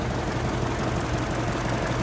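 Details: 2008 Mini Cooper idling with an intermittent cylinder 4 misfire: lumpy, uneven idle with an irregular thump. Injector, spark plug and coil were replaced and fire; compression is 205 PSI with 13% leak-down; cause unknown.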